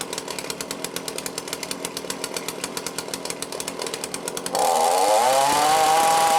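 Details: Cheap lockdown chainsaw with Walbro carb, after carb rebuild and high/low screw adjustment: steady even putter at idle, then revs cleanly to a high clear scream without bogging; starts easily and cuts well, carb set right.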